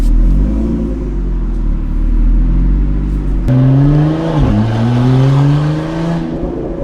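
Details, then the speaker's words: Lamborghini Aventador, sport button pressed so the exhaust valve opens: loud, open exhaust note climbing smoothly in pitch as revs build, no rattles or misfires; sounds good. "Of course, we have to press the sports button. Oh, I hear the valve is open. Ooh, not bad."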